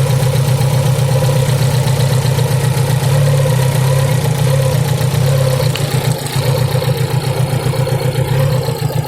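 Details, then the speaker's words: Fiat Punto at idle, felt shaking on the highway with no warning lights and normal coolant temperature. Steady low idle with an uneven, lumpy beat of about four pulses a second. Unplugging the cylinder 1 and 2 leads makes the shaking severe, nearly stalling, so those cylinders are fine. "When we unplug the first and second cylinders, the jitter becomes serious, indicating that the first and second cylinders are operating normally, Unplug the 1st and 2nd cylinders again, the shaking becomes serious, and the engine is almost stopped,"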